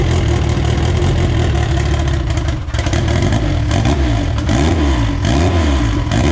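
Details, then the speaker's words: First start of an AWD EG build on a borrowed 2000cc-injector tune with the same MAP sensor and cam trigger: strong even idle with crisp blips rising and falling cleanly, no knocks or rattles, running pretty good; normal idle and revving. "alright guys well there you have it the car officially runs uh it runs pretty good um it's just on a tune from my car actually"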